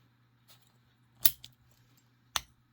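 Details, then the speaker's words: Vintage 40mm bronze Yale padlock: quiet handling, then two sharp metallic clicks as the shackle finally latches. It won't shut unless forced and turned slightly, so the lock mechanism is sticking. "so pop the shackle and it won't shut unless we put force on it turn it and then we get that click"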